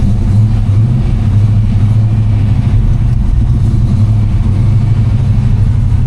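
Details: Ford V8 started cold without choke after sitting a couple of days, after the belt was moved over a notch (same belt) to cure a squeal: a deep, steady idle with no belt or valve squeal. The accessory drive sounds healthy.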